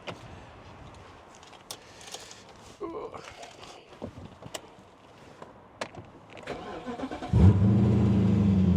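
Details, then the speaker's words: BMW 645Ci after securing a melted, arcing cable from a boot fire: it cranks and catches cleanly into a steady idle with no stumble. Normal start. "Right. Well, forgot how powerful this car is. Right. Well, it seems to be running fine."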